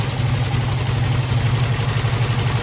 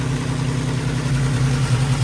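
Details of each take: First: Squarebody Chevy at idle: a light, quick rattle over the drone, heard on the other bank one cylinder back from the first. An exhaust valve is sticking, the same fault found earlier. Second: Squarebody Chevy at a fast idle with the timing a little high. A steady, even rumble with no knocks or misses; earlier rattling came and went as it oiled up. It runs far better.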